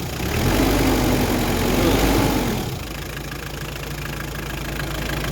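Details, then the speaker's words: Hyundai Terracan 2.5 diesel D4BH after the knock was fixed and reassembled: revs fall back to a smooth, even idle with no knock left. The engine runs as before, a normal diesel idle, not to be revved hard yet. "Всё, как работал раньше, так и работает. Сейчас всё нормально, всё отлично. Всё, стук пропал."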